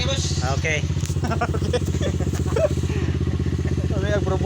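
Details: Motorcycle after carburetor replacement (also new handlebar, lever, tank) revs up and settles cleanly with a steady beat, no stumbles or misses; no longer misfiring, running normally.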